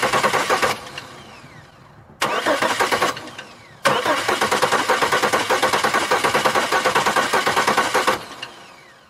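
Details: 2002 Chevy Malibu cranking: the starter spins the engine in three bursts with a steady rhythm but never fires. Crank, no start; fuel pump runs and ignition is present, and the injectors are suspected of not opening (unconfirmed).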